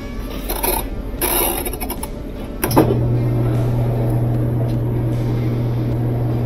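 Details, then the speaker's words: Old Whirlpool top-load washer, lid switch bypassed, dreadful noise at end of spin: drive hums low with rough grinding edge; spin tube ears damaged and drive block stripped, both replaced. "ooh o that sounds like the spin uh two ears are stripped huh but it spins"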